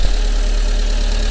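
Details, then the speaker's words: Engine after new coil pack, new plugs, secondhand coil, leads and throttle body: steady deep even idle without misfire, check engine light on, heavy grey smoke, owner thinks too rich; rich running idle. "although i've got check engine come up on the dash but it is actually running and not misfiring and so on it's quite a lot of grey smoke coming out the back"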